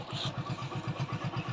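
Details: Hero Splendor Pro single-cylinder after engine repair to cure a humming engine noise: even, steady thump at about seven beats a second with no ticking or rattle; normal idle.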